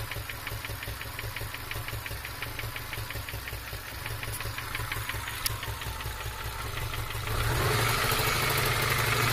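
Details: 2002 Subaru Legacy EJ253 after a pop and stutter while driving: sharp, regular tapping about four knocks per second at idle, louder as revs rise. Internal knock of unknown cause; jumped timing, rod knock or bad tensioner considered.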